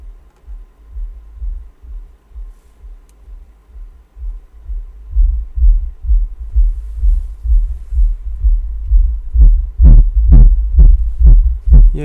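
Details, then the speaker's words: Digital Designs M5 car amplifier on bench, first sound test: soft, thin deep bass pulses about two per second; output seems weak. "Il fonctionne, on l'entend mais j'ai l'impression que c'est un peu faible."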